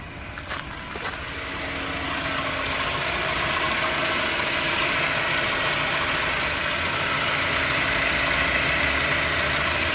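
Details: Mercedes W204 with M271 engine idling cold; light, fairly regular ticking knock about three and a half per second over the engine, cause unclear; cold idle knock.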